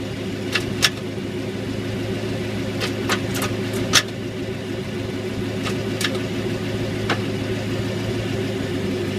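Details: C5 Corvette Z06 with sharp, irregular clicks from the rear over a low engine hum, mainly in 1st-2nd gear and reverse; new gear oil didn't help; cause was the dry axle nut and spline, fixed by greasing the spline.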